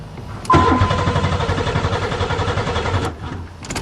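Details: Buick Regal, first start spring 2008 after sitting over winter, new battery, fuses good, fuel pump heard running: starter churns at even rhythm about two and a half seconds, never fires; crank, no start.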